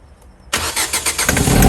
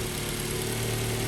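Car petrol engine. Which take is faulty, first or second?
first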